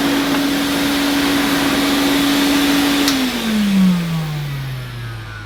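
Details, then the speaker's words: 1980 Hoover Constellation 867A floating vacuum, suppressor removed, being restored: smooth, steady motor hum at one pitch, then an even wind-down at switch-off, with no grinding or rattle; the motor sounds fine and probably needs no teardown. "So with this, the motor to me sounds fine. I don't think I even need to take the motor apart."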